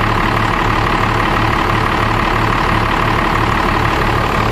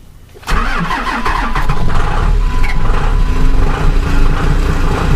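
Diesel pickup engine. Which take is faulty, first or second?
second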